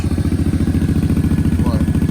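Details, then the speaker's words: Kawasaki KFX 700 (V-Force) V-twin ATV with very old fuel, idle adjuster set a bit low: even, lumpy exhaust pulses about thirteen a second, steady with no misses or knocks; idling well, healthy. "actually, it sounds like it's idling pretty good right now."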